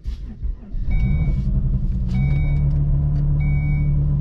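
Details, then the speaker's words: Volvo with failed Stage 3 engine, started after sitting a couple of weeks: cranking then catching into a low, uneven, loping idle with some smoke from the back; runs poorly. "it started let's let it let it let it run doesn't run good but yeah I don't want it to rev too much"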